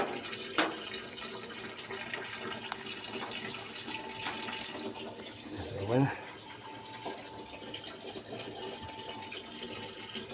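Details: LG top-load inverter washing machine after a part was replaced to fix very weak water filling: a steady, strong rush of water into the tub without sputtering or fading. It now fills normally.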